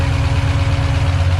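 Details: Freshly rebuilt stock-block Ford 302 HO V8, first fire-up, cold, oil pressure around 60: deep steady even idle rumble with no knock; running smoothly after rebuild.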